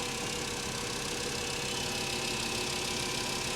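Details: Mercedes S550 salvage-auction car with a repainted rear and the newest-looking belt under the hood. The engine gives an even, steady idle hum over a hissy background with no knocks, misses or rattles. Normal idle.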